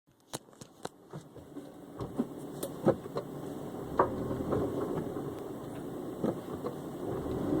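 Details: Honda S2000 at idle: irregular sharp clunks, sometimes several a second, not locked to engine speed; clunking whose cause can't be told by ear.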